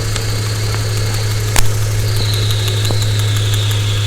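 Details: Cylinder misfire (P0300) diagnosis: with the PCM controlling the injectors during an audible test, each injector gives a crisp, regular light ticking at steady idle with no stumble, so it is firing normally.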